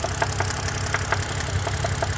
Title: 2011 BMW 328 N52 148K rod knocking?